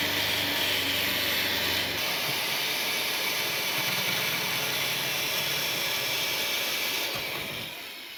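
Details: 2007 car, owner suspects the exhaust leak is causing the P0172 rich code and power loss: loud, sharp hiss with fast, steady puffing at idle, strongest in the highs, from an exhaust leak under the heat shield.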